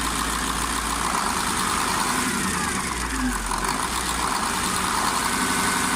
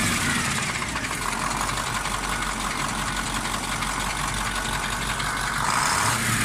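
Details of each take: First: KamAZ 740.13 diesel after repair of cylinder 8 knock from scored liner, new FM 740.30 pistons fitted, during break-in: steady, even idle clatter with no knock cutting through; healthy. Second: KamAZ 740.13 diesel before repair, idling: steady hard knock over the clatter around cylinder 8, quieter but not gone with its injector line loosened; piston knock from a scored cylinder 8 liner.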